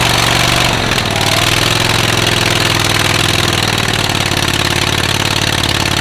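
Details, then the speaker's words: Rusty auction John Deere riding mower, single-cylinder, first start with choke and gas poured in: loud, raspy, hissy rattle over a rough beat; exhaust leak through a muffler with a couple of holes. "muffler's got a couple holes in it so probably not going to be as quiet as we think"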